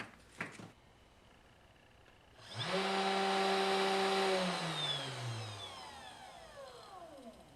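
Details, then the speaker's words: 3018 CNC with an upgraded 400W spindle, after PWM and ground wires were soldered to the motor driver: clean rising whine settles into a steady high tone, then glides smoothly down from 10,000 to slower rpm; normal, the speed-control problem is solved. "so I just have the spindle turned so I said in kendo is 10,000 rpm so let me just try a bit slower speed so here is 200 rpm well he seemed a lot slower well you seem to be working now so this problem is solved"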